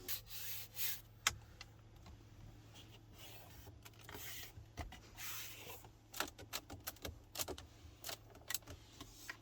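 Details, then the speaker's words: Dashboard trim creak in a 2022 Mercedes-Maybach GLS 600 4MATIC 4.0 V8: short dry creaks and rubbing squeaks each time the leather-covered dash is pressed, especially centre under the vents, pointing to poorly fitted trim; silent while driving. "Tak, elementy skrzypią, zwłaszcza na środku pod nawiewami, zupełnie jak w innych, dużo tańszych modelach Mercedesa."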